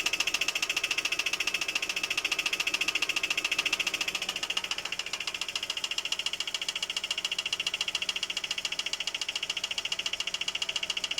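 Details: GAZelle Next with Evotech engine, owner asks what the knock could be: very steady, sharp light ticking-knock about three and a half per second over a quiet idle, unchanged throughout; cause unknown.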